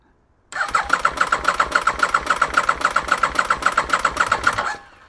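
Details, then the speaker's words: 2001 Aprilia RST 1000 Futura in neutral, fresh oil, little petrol in tank, fuel light on: steady cranking, about three to four beats a second for four seconds, never fires; cause not yet found. "Not successful. She's turning over. That's a good sign."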